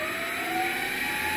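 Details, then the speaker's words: MX 8x14 mini-lathe spinning unloaded with no gears engaged, after slotting the motor mounts to reduce belt tension; steady high-pitched whine over a light whir, which the owner thinks is the three-phase PWM motor controller. "but the high-pitched wine you can hear is i think the pwm controller the three-phase controller for the motor"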